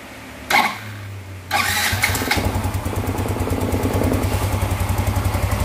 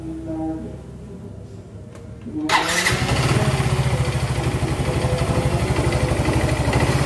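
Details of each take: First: Yamaha Mio Z fitted with an old Vario 125 FI piston after a new block-and-piston set failed within months: starts on second try and settles into a smooth, even idle with no knocking or piston slap; oil confirmed circulating. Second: Yamaha Mio Z with a new block and piston set installed a few months earlier, arrived not running: starts quickly, then a loud, fast metallic clatter about three a second over the idle; piston slap.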